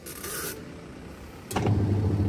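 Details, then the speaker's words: Denpoo twin-tub washing machine after repairing the seized wash motor with broken winding: after some scraping the wash motor runs with a steady low hum, reversing direction normally on the wash timer; sounds healthy. "Mantap bro, dia harus bolak-balik ya. Nah sekarang ke kanan ya, mantap ya teman-teman ya, sampai timer ini berhenti dia selesai bekerja."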